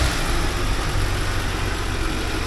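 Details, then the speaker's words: 1979 Porsche 924 warming up after being made to run: a smooth, even idle with a steady low beat and no ticks or stumbles; the gauge reads 3.6–3.7 while still warming. "again running nice"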